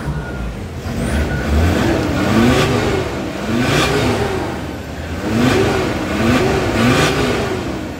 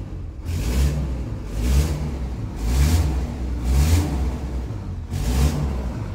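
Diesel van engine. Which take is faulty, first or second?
second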